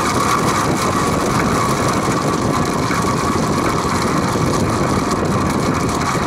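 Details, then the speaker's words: Vintage Penncrest (rebranded Lakewood) 20-inch 3-speed box fan, stored 6 years, on high after bearings were oiled with WD-40, no motor play, blades tight: a constant, coarse, diesel-like clattering drone; rattle persists, source unclear, possibly worn bearings. "it sounds like a diesel engine when it runs it's rattling it's noisy i've oiled it several times before the noise doesn't go away"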